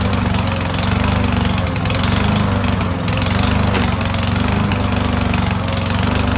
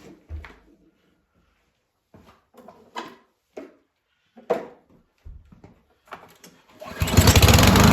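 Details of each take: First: Yardworks lawnmower stored for years in a barn, first start on old oil, self-choked, running off the carburettor bowl: loud, choppy note surging and sagging before settling; slightly smoky; engine hunting. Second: Yardworks mower, long stored in a barn, previously stuck cylinder freed, running off the carb bowl: after some clatter it catches and holds a smooth, even drone about five seconds, no miss or knock; runs healthy.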